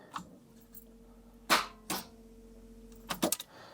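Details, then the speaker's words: Daimler Double Six (Jaguar XJ12) V12, arrived on tow truck with no start and not charging when last run, battery via jumper cable, in park: one sharp click on key then short clatter, no cranking; suspected starter grounding or connection fault, unconfirmed. "But let me connect up the battery quickly and let's turn the key and I'll show you that all you hear is that relay click."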